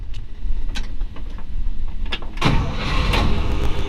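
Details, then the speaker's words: 1955 Chevrolet Bel Air 265 V8 with 2-speed Powerglide at 48,265 miles: a few seconds of cranking, then it catches promptly and settles into a low steady rumble; starts right up, temp gauge just warming. "Starts right up."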